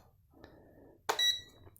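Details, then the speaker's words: Tesmen TM-510 multimeter just after fitting batteries: one short high-pitched beep right at switch-on in a quiet room, showing it powers up and works; normal multimeter power-on beep. "On entend le bip comme quoi il est bien, tu vois, il s'allume directement."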